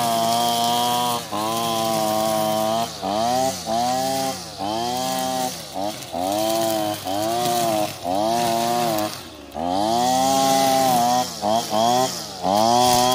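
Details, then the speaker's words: Older Husqvarna 225L straight-shaft trimmer after a new carburetor and tune-up: it idled well after starting on choke, then gives high buzzy two-stroke revs rising and falling cleanly through throttle blips while cutting weeds, with no bogging; runs healthy. "she's idling great feels like it's taking the gas really good so I think we got a winner here guys"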